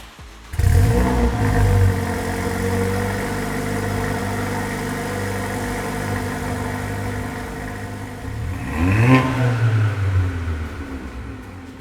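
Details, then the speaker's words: Mercedes A45 AMG W176 M133 engine, first start a week after full rebuild, with downpipe and induction kit fitted and cooling system bled: starts at once, steady even idle, one clean blip; sounds crisp and healthy. "now that sounds crisp and of course we first going to go for a test drive just to make sure that everything is fine"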